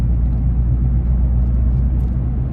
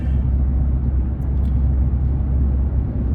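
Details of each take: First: 2015 Nissan Frontier at 41–42 mph on smooth road: low steady warbling hum over road rumble that stops when turning slightly right; worn front wheel bearing, before replacement. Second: 2015 Nissan Frontier driving on a smooth road after installing new Autoround wheel bearing hub assemblies: only low, even road rumble, no growl or hum rising with speed. Normal wheel bearings.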